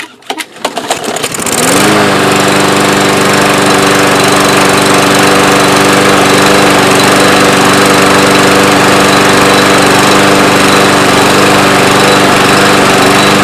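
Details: Yard Machines mower with newer Briggs engine after carburetor refitted, old gas emptied, starter recoil spring and rope repaired: catches after 2–3 pulls, settles into steady, even drone, no misses; running properly.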